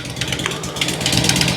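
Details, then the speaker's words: 2006 Harley-Davidson Road King Twin Cam at idle, just after cam chain tensioner and inner cam bearing replacement. Flat, sharp puffing heard at the front and rear exhaust, not lifter, pushrod or valve tick. Owner suspects an exhaust leak from the flat exhaust gaskets used. "It's not a lifter tick or a push rod tick or a valve tick. I don't know how well the mic's picking up. It sounds to me like an exhaust leak. It's really kind of flat"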